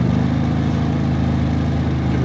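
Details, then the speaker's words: Harbor Freight Predator 3500W inverter generator just cold-started at 6°F, idling on choke: steady, even, fairly quiet drone with no misses or rattles; normal cold idle. "few seconds theread runs look at it that was a cold start at six switch from the choke to normal see it's running so"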